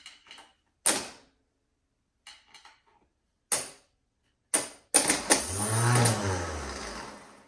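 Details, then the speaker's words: Starter for Datsun 260Z L28 swap, pulled and bench-tested with 12 volts: clicks, then a brief whir as it spins freely; starter works, flywheel possibly misaligned; starter spins freely. "Alright, so it spins. And that'll do it for now. Whew. Alright, now that we know that the starter does spin, let's put it back in."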